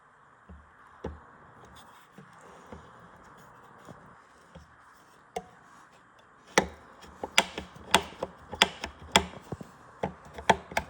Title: Elite Suito Knocking or Clicking Sound Fix.